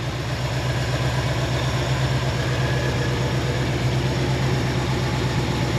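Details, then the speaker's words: 1973 AMC Jeep CJ5 idling: steady low rumble with even beat, no misses, stumbles or knocks; running nice and strong, healthy idle. "Running nice and strong, sounds good."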